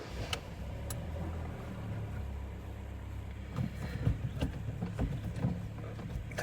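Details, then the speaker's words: 2011 Kia Sportage, G4KD 2.0 petrol, manual, front-wheel drive, 150,000 km, after repair of heavy piston knock and deep cylinder scoring blamed on bad fuel detonation, with a new clutch. Quiet, even idle with no knock or tapping; runs smoothly. "Так, работает ровно, работает тихо. Вообще красота."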